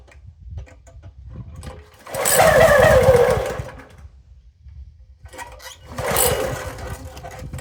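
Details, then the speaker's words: Toro SG-6 stump grinder with Honda GX200 engine and a new carburettor, started on full choke: two short bursts of running, each dying within seconds, acting fuel-starved; the problem was ultimately traced to oil level. "So it's acting like it wants gas. It's a full choke. Still can't keep it running."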